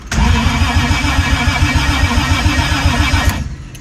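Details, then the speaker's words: Toyota 1JZ with the fuel pump priming, which had a rev-cut issue: strong, even starter cranking at about three to four pulses a second, the healthiest crank yet. A fuel leak was found afterward. Normal cranking. "Well, that's sick. Haven't heard it crank that healthily yet, so that's good news."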